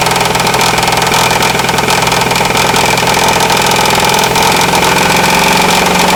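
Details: 4.7 V8 idles with a loose, repeating knock, roughly two to three taps a second, over the engine hum.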